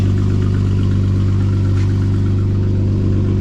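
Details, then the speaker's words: Supercharged Jeep Wrangler, first start after exhaust cut off: loud, deep, even idle rumble with a steady quick beat and no muffling, running open without a muffler. "Here's, let's listen. Whoa. Oh. Oh, wow. That sounds fresh."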